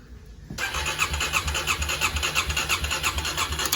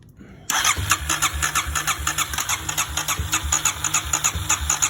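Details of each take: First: 2009 Kawasaki KLX250S, long-sitting, after replacing a cracked 20 A fuse; spark present: steady starter cranking about three pulses a second that never catches; suspected flooding or bad gas, carburetor thought gummed, needing cleaning. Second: 2009 Kawasaki KLX250S, previously non-running, after carbs were cleaned and fresh fuel added: catches right away, settles into an even single-cylinder thump with light throttle blips; clean, healthy start and idle, a small leak stopped once running.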